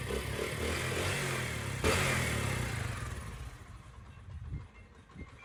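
Steady, even engine note with no knocking or rattles that fades away towards the end; this bike sounds like it runs normally.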